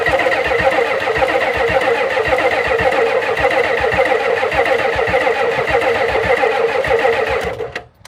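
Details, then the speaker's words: 1991 Ford F350 dually, 7.3 IDI diesel, unrun since 2010: uneven chugging cranking catches briefly, dies after about seven seconds; no knocking heard. Owner says not enough fuel, many possible reasons; checking the fuel line; unconfirmed. "So It only ran for a couple of seconds, but she ran. She actually ran. Just not getting enough fuel."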